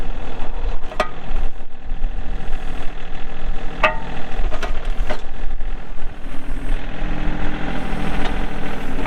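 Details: 2003 John Deere 4410 tractor loader backhoe, 34HP pre-emissions diesel, hydro, 4WD, 549 hours: diesel catches and settles into an even, low, clattery idle with a steady beat, no misses or odd knocks; healthy.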